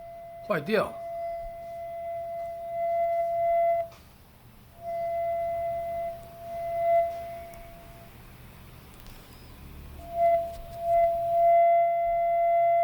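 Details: Sony WF-1000XM3 right earbud: steady high ringing tone with faint overtones, cutting out and returning in stretches; abnormal noise from the right earbud.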